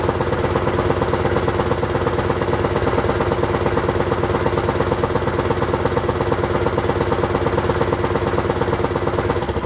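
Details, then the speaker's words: Honda XL1000 Varadero V-twin, first start after rebuild, radiator hot: steady idle with sharp, rapid chuffing on every firing pulse from a known exhaust leak; oil level just below the top mark. "yeah i'm definitely going to need to sort that exhaust out and the oil level is just below the top mark"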